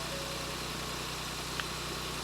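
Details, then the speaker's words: 2024 Ford Focus salvage rebuild, first start after fuel priming, clutch down and out of gear: smooth, steady low hum with even tone and no knocks or misses; ticks over on its own cleanly, normal idle. "go for it send it too easy it's all right is it will it tick over that's on its own that sounds lovely now any battery"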